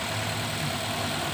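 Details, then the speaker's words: Toyota Rush that shakes at idle, starts hard and struggles uphill, with an ignition coil suspected: slightly uneven idle as coil 1 is unplugged and the engine sound changes, a cylinder-by-cylinder balance test. "Oke Bro jadi mesin mobil ini dia gemetaran kalau hidup saya curiga Sidik oil tapi kita coba lihat KWH ada SIM 1 ya oke Ada perubahan suara mesin Oke perubahan suara mesin"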